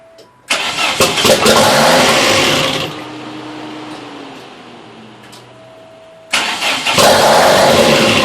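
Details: Newly built custom engine in a 1987 Dodge Daytona Shelby Z, first start attempt: catches with a harsh hissy roar, sags to a wavering idle, then roars up again; massive vacuum leak from two unplugged intake plenum holes.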